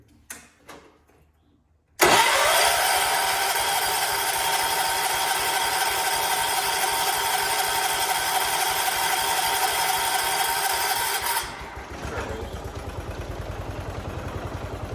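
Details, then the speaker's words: 1979 John Deere 214 tractor, sat unused for months, once it's finally getting gas: silence, then the single-cylinder fires at once and settles into a steady even beat of about four per second; healthy start and idle. "ready there we go we got it run"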